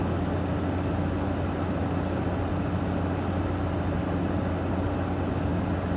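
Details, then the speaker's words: General Electric 5050 BTU window air conditioner with a 2016 compressor, made by Curry, running and blowing 48 degrees: steady, even low hum with constant fan rush, no rattles or cycling, surprisingly quiet; normal running. "these weren't too bad surprisingly quiet actually for something as modern as it is"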